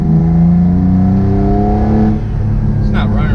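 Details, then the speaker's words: Restored Mitsubishi 3000GT VR4 on its first drive: revs climb hard, then stumble and drop off under full throttle. It makes boost only when eased into. The owner suspects something unplugged. "it's breaking up those full-throttle did nothing I gotta have something on plug something"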